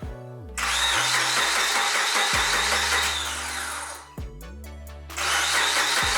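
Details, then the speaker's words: 2004 Subaru Forester XS SOHC after a timing belt replacement, cranked with the ignition fuse pulled as a check, then started: even cranking with no bangs or scrapes, then a clean catch to a steady run, so the timing is right. "that sounds good and there we go we have successfully done the timing belt on my Subaru Forester"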